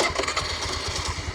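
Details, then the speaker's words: 2015 TVS Jupiter scooter, about 7 years old with 51,650 km, started without throttle: catches first try and settles into a quick, even putter with no rattle, knock or unwanted vibration; silent, healthy engine. "देखो race के बगैर ही start हुई है, और sound सुनो, कोई rattling noise नहीं, कोई कुछ नहीं, अनवांटेड कोई इसके अंदर वाइब्रेशन नहीं है, बिल्कुल साइलेंट इंजन है।"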